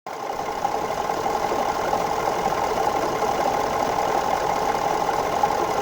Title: 2011 F150 3.5L Ecoboost Vibrating/Knocking Noise